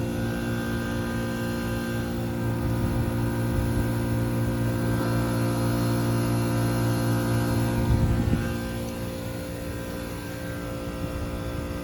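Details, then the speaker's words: 2007 Trane XR13 HVAC compressor, still faulty, line still cold: steady low hum with a strong fixed tone and even buzz; compressor keeps running, but the fault is unresolved and its cause unconfirmed. "That line is still cold. That compressor is one tough son of a for being able to handle this."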